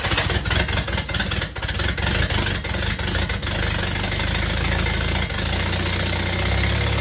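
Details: 1945 Willys MB L134 flathead, first start after a machine shop repaired the head stud threads (bad helicoils, coolant weeping), oil filter temporarily bypassed; ragged firing for about three seconds, then a steady, even idle; small oil leak from the open return line, but it runs.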